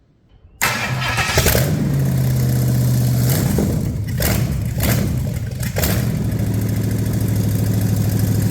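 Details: Cheap Marketplace Ford 390 big-block with acceptable compression, restarted after reassembly: it catches quickly on the starter, takes a few throttle blips, then settles to a steady, even low idle with no misses or knocks; exhaust manifold temperatures confirm all cylinders are firing.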